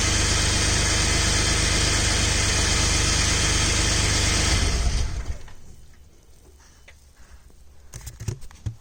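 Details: Ford/Lincoln car with exhaust smell in the cabin and a noise louder when cold; the dealer calls it a normal condensate drain, the owner suspects an exhaust leak: steady fast puffing of about 3.5 per second at idle until shutoff; exhaust puffing/ticking.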